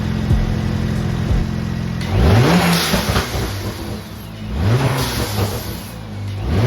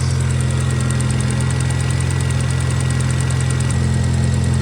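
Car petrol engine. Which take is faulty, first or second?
second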